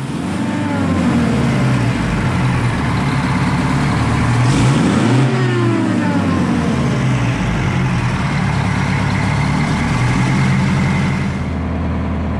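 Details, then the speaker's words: Detroit Diesel 4-71 after rebuild, idle rpm set and buffer screw adjusted to remove governor hunting: climbs and settles through a rev with no surging or hunting; governor holds steady, engine healthy. "once the idle rpm was set right Adrian installed the buffer screw and then adjusted that until the sort of hunting the fluctuation in the RPMs is out so you don't have to have the the government bounce around a point"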